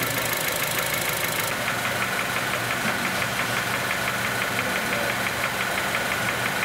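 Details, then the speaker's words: 2006 Honda Element 2.4L at idle, heard through an electronic stethoscope: rapid, fairly regular light knocking, about three per second, loudest low in the block, louder when cylinder two is shorted; bottom-end knock of undetermined cause, oil pan gasket recently changed. "I got out our electronic stethoscope listen to the engine this is the top end in the bottom end so you read the loudest in the block"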